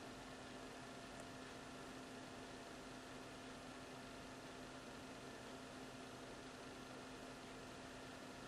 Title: Laptop making strange noises!